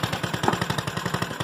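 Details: GY6 scooter that starts but lacked power and wouldn't rev, after CDI replacement: even, quick putter of about twelve firing pulses a second, no misses or stumbles; idles cleanly.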